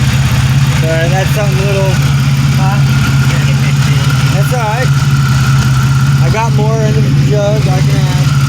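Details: 1997 Pontiac Grand Prix GTP coupe idling with no catalytic converter fitted: a steady low idle with an even, unbroken pulse, no misses or knocks, some chirping nearby; normal idle, running great.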